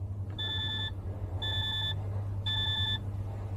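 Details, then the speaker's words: DAF LF Euro 6 truck reported smoking, ignition on before starting: three even high-pitched beeps about one per second over a faint hum, the dash low air pressure warning because the engine hasn't run; no engine warning. "No engine warning, just low air pressure because it hasn't been started."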